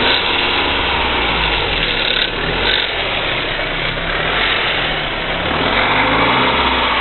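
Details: BMW E46 318i engine running and revving with busy, uneven ticking that rises with revs; owner suspects hydraulic lifters, unconfirmed, and the DISA valve is also defective.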